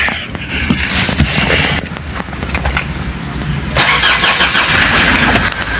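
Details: Ford Everest with a no-crank complaint, tested in neutral: starter spins briskly and the engine fires promptly into a rising idle; fault traced to the park sensor.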